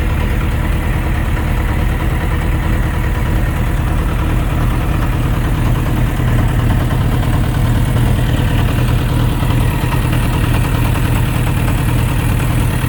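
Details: Suzuki RF900 motorcycle idling: a faint, irregular knocking mixed into the low rumble; owner unsure of the cause, someone suggested engine knock, possibly connecting rod bearing clearance. Not confirmed.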